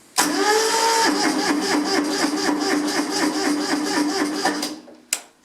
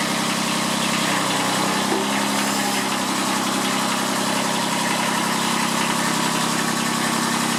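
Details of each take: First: Kubota B7001 diesel tractor, about 10°C, unused two months, after glow: spins over with quick even chuffs about four seconds, then stops without catching; hard cold start, owner suspects weak battery. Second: Kubota B7001 diesel tractor, about 10 °C, just started after two months unused and a hard cold start, in neutral: even rattly idle, steady clatter, no misses; normal diesel idle.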